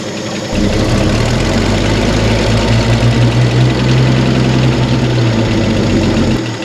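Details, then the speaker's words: Chevy C30 pickup inline six, off the road since 1978, first run: steady low idle with light, fast, even tapping like valvetrain tick; good oil pressure, light off, generator charging; cause not pinned down. "Sounds like a tippy-tappy little inline 6."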